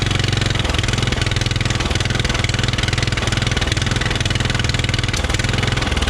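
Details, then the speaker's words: Riding mower that sat for years, carburetor main jet not fully cleaned, idle circuit possibly still dirty: lumpy uneven firing that never settles to clean idle; rough running from dirty carburetor, may add fuel via air-fuel screw. "yeah kind of what i thought with that uh that carburetor i couldn't really get in there uh and get that main jet cleaned out like i wanted to"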